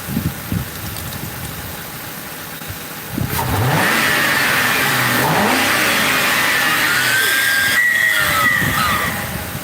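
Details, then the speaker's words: 2005 Crown Victoria police car V8 revved after No. 4 coil and plug replacement to check for shorts; thin high squeal rises with revs, heard only when revving, not while driving; squeak when revving, source unknown. "Got something squeaky. Something squeaky. I don't like that. I don't like the squeak. You only hear it when you're revving like that."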